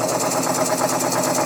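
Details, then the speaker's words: Coal-fired model steam puffer boat engine running with a quick, even chuff of about five beats a second, smooth; rattles at higher speed, suspected prop shaft play. "Sounds nice and smooth. Good engineering."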